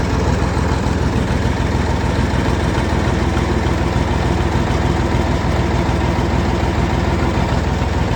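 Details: Landini 5830 tractor diesel idling after hydraulic oil and filter change, level halfway between the marks: deep, even chug with a steady beat and no knocks or misses; running much smoother than before.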